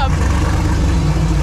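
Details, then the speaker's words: Twin-turbo LS-swapped New Edge Mustang with an overheating problem, just restarted after radiator work and warming up: deep, steady, even idle with no misses or knocks, sounding much better than before. "woo it sounds way better way way better now like I said just let it warm"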